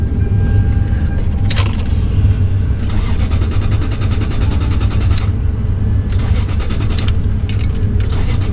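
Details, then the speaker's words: 2001 Lexus LS430, about 200k miles, on a booster pack: repeated long bursts of even starter cranking that never fire; no start, no fuel pump heard, judged a non-runner. "nope all right that ain't gonna work so bit accordingly non-runner"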